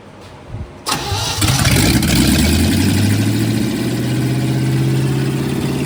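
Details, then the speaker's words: 1969 Chevy C10 (junkyard rescue), first start with carb. It cranks and catches fast, then a lumpy, slightly surging idle; rough running after start, ignition timing suspected off and not yet set. "Definitely needs some adjustment, but uh man, that ABS2 carb just fires right up. Um I think the timing is off."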